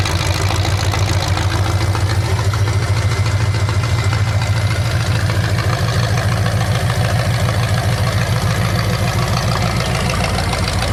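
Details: 427 big-block Chevy V8 on an engine run stand, first fire after sitting a long time; distributor loosened and timing adjusted, possibly the wrong way. Loud steady lumpy idle on open pipes, no misses or knocks; normal healthy idle, staying cool.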